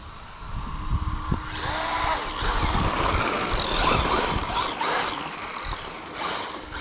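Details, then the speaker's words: Traxxas Maxx Slash with VXL6s system, 25-tooth pinion, first run on cold, slippery dirt: throttle blips bring a horrendous whine rising and falling with each burst; suspected noisy pinion-to-spur gear mesh, owner plans a spur change, not confirmed. "it works that noise is horrendous though and yes I know some of the reasons why I've watched a few videos on it but I have my own fix for that"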